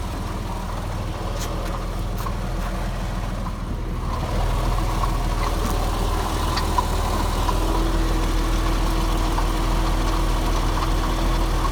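An idling petrol engine with a light, loose rattle riding over the low hum, from a failing water pump. Cause suspected, not confirmed.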